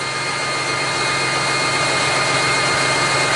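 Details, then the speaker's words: Big truck diesel just after its first start following starter installation and battery cable repair for a no-crank no-start, expected to smooth out: steady, even idle with constant hiss and hum, no knocks or misses; running normally. "why is jumping like that but it will smooth out I guess it's just gold sure started quick that was good"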